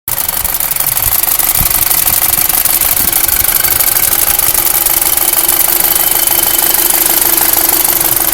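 Rapid, fairly regular metallic tapping over the idle, about two per second, with a hissy top end; an unexplained knock.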